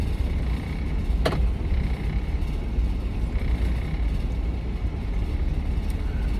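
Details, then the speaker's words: Chevy Astro 4.3L van with rain/moisture no-start (P1351), after dielectric grease on ignition connectors, cold rainy 50°F: started right up, even low idle, one brief click, no check engine light; normal idle. "Started right up. A few clunk clunks, but started right up. And no check engine light."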